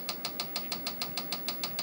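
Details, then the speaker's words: Tandy 1000 SX with hard drive failed after storage, on power-up: sharp, evenly spaced clicks about six per second from the drive; heads repeatedly hitting their stop, cause suspected, not confirmed. "apply power you can hear that nice sound of the hard drive and we get a nasty clicking noise which is not a good thing it's not supposed to do that"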